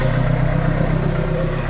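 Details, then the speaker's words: Renault Kangoo 1.5 dCi diesel after an injector seal replacement, air box off: steady, even low idle with no ticking or tac-tac clatter. No injector leak; runs healthy. "Là, ça a très bien démarré. Il n'y a pas de bruit suspect, hein."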